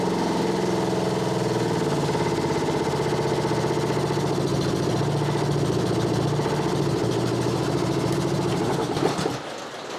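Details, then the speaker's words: Honda HRB216 (GCV160) push mower after carb cleaning, started with choke: steady even single-cylinder chug under rain on tin roof; runs well, dirty carb fixed. "There we go. She runs. Carb was dirty."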